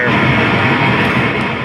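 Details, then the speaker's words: 1974 Minimoog under repair: noise source output is steady hiss with a gritty, overdriven edge, too much saturation in the pink noise; distorted output, suspected filtering issue in that circuit. "it almost sounds like uh like Randy's mini mug the same one we had the filter issue on earlier it's just got a little too much saturation in the pink noise so probably a filtering issue in that in that circuit"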